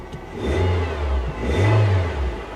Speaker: engine sounds healthy